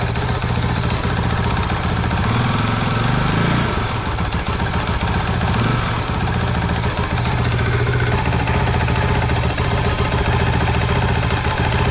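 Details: Honda CRF450L single idling after its first oil change at just over 100 miles, with Amsoil synthetic: steady, even idle with a faint gear whirr, no knocks or misses. Normal idle.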